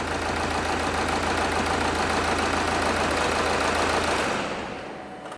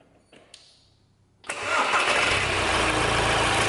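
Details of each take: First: Diesel engine at idle with one injector unplugged to induce a misfire, measured at the tailpipe with a pressure sensor: steady clatter with uneven, lumpy beat from one dead cylinder. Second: Owner's own diesel winter hack, starting with a delta pressure-pulse sensor pushed into the intake past the throttle plate. A short crank catches immediately and settles into a steady, even idle with no knocks or misses; the engine is running perfectly all right.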